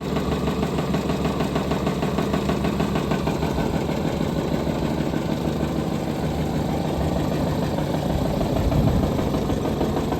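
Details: Jaguar engine (model given as FJ) idling with a steady regular knock about three beats a second over the running sound; engine knock.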